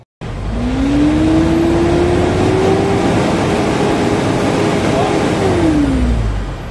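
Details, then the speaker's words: Hino diesel truck, hard starting, misfiring, low power, reportedly reaching only about 2 rpm and 40 kph: revs slowly to a flat, strained note and never climbs higher; struggles to rev, before priming fuel pump. "ay low power palyado at mahirap andarin magliso daw abot 2 ang rpm at sabi ng driver ay 40 kph lang ang kanyang takboan"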